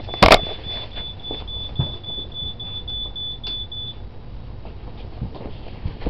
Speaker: not sure if you could hear that beeping in the background but that was my uh alarm system it needs a new battery